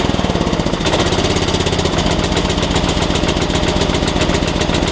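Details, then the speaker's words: Small single-cylinder engine jump-started with a NOCO GB70 2000A booster in force mode, battery positive disconnected. A quick crank catches in about a second and settles into an even, fast putter. Normal start and run. "Alright, so basically it took me a minute, but once I got this depressed for 3 seconds, it actually went into force mode and we were able to start it."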